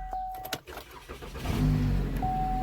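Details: 2013 Chevy Malibu crank-no-start, no fuel due to blown 20 A fuse feeding fuel pump module, fuse replaced: a few clicks, then short crank catching quickly into a steady even idle.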